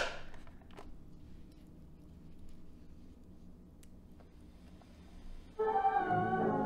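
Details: Vintage 8-track cartridge player bought with a bad motor, tested after repair with flywheel refitted and a switch holding up the cartridge removed: low motor hum, then clean steady music with no wow or dragging; playing properly.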